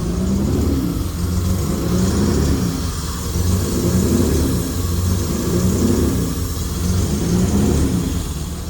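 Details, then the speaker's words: Honda J32 engine swapped into Porsche 944 racecar, first start on base tune with no O2 sensor, new homemade exhaust; slow lazy revs in heavy muffled drone without crisp response, running very rich. "Okay, well, as predicted, that thing is running pig rich. My eyes are actually burning right now."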